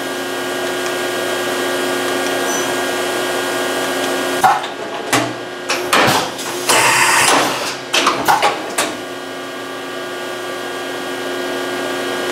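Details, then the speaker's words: Excel CNC mill after replacing the leaking tool changer air cylinder, run in single block mode: steady hum with even pneumatic clunks and hisses through each tool change; changer working normally, a slight line hiss still remains. "okay there ran through the entire block okay I'm gonna call that fixed"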